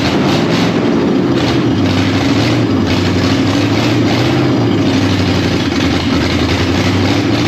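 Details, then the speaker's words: Freshly installed 302 V8 in a Dentside Ford truck, first run after sitting in a barn: loud, uneven idle with a stumbling beat. It sounds like it's missing on a couple of cylinders. The owner suspects timing is slightly off. Idle misfire. "Sounds like it's missing on a couple holes. Still may need to fiddle with the timing."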